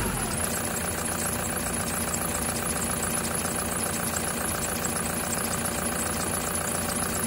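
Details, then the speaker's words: 2008 Prado 120, brand-new 1KD diesel with new injectors, stone cold at about 7°C, held near 2000 rpm: hard even clatter with aftermarket Gates belt chirp on top; normal cold knock, quieter once warmed past 83 degrees. "I'm basically attempting to make the engine make a bit of noise so that you know that even if you've got a new engine or an engine in as new condition and new injectors, when it's this cold, that's what it can sound like."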